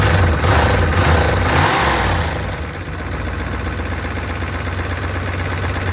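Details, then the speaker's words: 1992 Chevrolet Caprice wagon V8, field-sat parts car supposedly seized, oil about a quart low; settles from a rev into idle with quick light ticking over the rumble; owner suspects lifters, maybe a bearing, unconfirmed. "get those lifters to quiet down uh that sounds a little louder gun lifters very strange cuz it's running"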